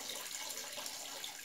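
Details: Cold home radiator that would not heat, bled with its inlet valve closed until about half a bucket of water was drained: smooth, continuous hiss of water from the bleed screw with no spitting or air bursts; radiator fully purged and now heating.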